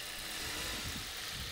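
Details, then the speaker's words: Ford Duratec HE run with the accessory belt removed from the crankshaft pulley after a knock appeared following belt, idler and tensioner replacement: even, smooth idle with no knocking; engine healthy, knock traced to a pulley. "as you can hear that knock of mine has disappeared completely and the engine runs perfectly smoothly"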